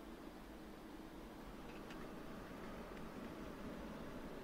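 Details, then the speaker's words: PC system fan on an MSI B650M Mortar WiFi board (Ryzen 7500F, RX 7900 GRE) switched from DC to PWM mode in BIOS: a loud, airy whoosh as the fan climbs from about 1200 to 1700 rpm. "Saat kebisingan kipas meningkat dengan cara ini, RPM naik hingga 1700rpm"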